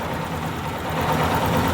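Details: Yamaha Fazer 250 single idling hot with a light, fast tick riding on top from the top end. The cam chain tensioner is suspected and is tested by turning its adjuster counterclockwise with a screwdriver to see if the tick stops.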